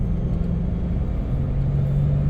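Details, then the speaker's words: 1997 Dodge Caravan LE, progressively worsening front wheel bearing noise, heard while driving at highway speed; the hum is strongest around 55–60. A low, steady drone rides over the road rumble and firms up toward the end. Tire cupping was ruled out. Wheel bearing hum. "got a front wheel bearing noise I'm pretty sure I know which one it is now and no the wheels are not cued I check that first"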